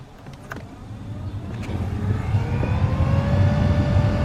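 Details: 2005-2014 Ford Mustang GT blower motor running right after replacement, key on: a steady rush of air builds as the fan spins up, with a faint rising hum and the earlier hissing gone; normal operation.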